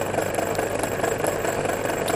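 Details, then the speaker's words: MORI MA-100 antenna rotator, reassembled and run on the bench without its top housing: small motor hum with a fast, even gear chatter of about six pulses a second; normal gear and motor running noise. "interesting sound that comes from this"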